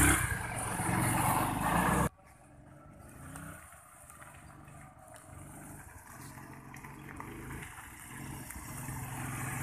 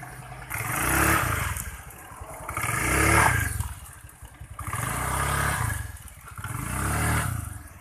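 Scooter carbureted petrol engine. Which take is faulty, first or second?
first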